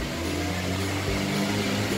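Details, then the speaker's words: Honda (Brio/Jazz/City type) with check engine light on and automatic transmission problems, revved in the workshop: engine drones at a steady pitch and won't climb past about 3000 rpm; the scanner found a faulty MAP sensor. "Kalau saya gas ya, kedengeran atau tidak? Dia nggak sampai 3000 RPM udah habis."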